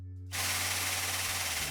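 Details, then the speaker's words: New OEM Tools 20-ton air-over-hydraulic press (25087), first try after assembly, air connected, no air leaks: loud rushing air with quick even rattling impact-like pulse as the pump drives the ram; normal operation. "i'm gonna hit the button you can hear that making that impact kind of noise"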